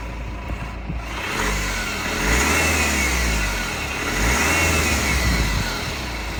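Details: BMW E87 M Sport with the N47 2.0 diesel, 177bhp, idling then revved twice: a light irregular rattle over the diesel clatter that rises and falls with revs. The owner suspects the timing chain; unconfirmed rattle from engine.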